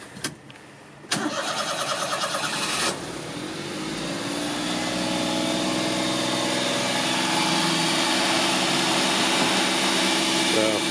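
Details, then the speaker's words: 1988 Daihatsu Hijet kei truck, 4WD, 550cc, 4-speed manual, about 23,000 km, started cold: a brief crank, catches at once and settles to a smooth, even high idle with no knocks or misses. A healthy cold start. "it's pretty cold right now, so it's idling high, but it starts right up."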